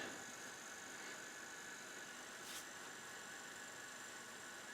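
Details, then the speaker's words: AIWA TP-724 tape recorder, speaker at full volume before tape is loaded, tone control working: constant soft hiss with a faint thin high whine and no program signal; amplifier output really noisy. "kind of noisy it's really noisy"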